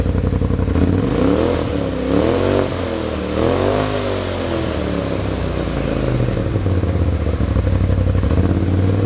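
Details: 2020–21 Polaris RZR Pro XP, new S&S PowerTune XTO muffler: deep exhaust rises and falls cleanly with throttle blips, no rattles or blow-by. Normal exhaust note.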